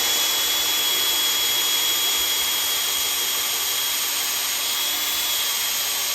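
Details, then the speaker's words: Freshly built 1970 Ford Falcon 302 small-block Ford, priming the oil pump with a drill before first start: a steady high drill whine holds pitch under heavy resistance from building oil pressure. "definitely getting a lot of resistance on the drill right now crank it up to two and after it spins the harder it gets not just the battery there that's oil pressure on your battery in just here it's fighting right now it's fighting a ton of oil pressure"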